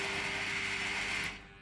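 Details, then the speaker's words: Tank robot drive motors on a motor controller, after setting 10 then zero. A thin, steady buzz and popping continue because the speed command never reaches true zero, then it cuts out. Motors are silent when properly at zero. "you see that it's not getting to zero which is what that popping sound that so I want to solve that just quickly"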